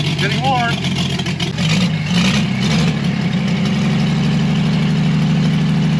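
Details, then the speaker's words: Chevrolet Blue Flame stovebolt six, engine on a pallet and out of the truck, run longer on test with a sink instead of a radiator, warming up: steady even low idle, smooth unbroken beat, no knocks or misses; running cleanly. "it's nice to hear this thing run and we made some progress and we know we can get that mutt truck going so I'm going to call this a massive win"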